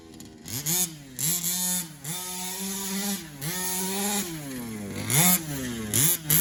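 Small two-stroke buzzes and revs up and down cleanly, pitch rising and falling with throttle, no misfires or bogging; runs healthy.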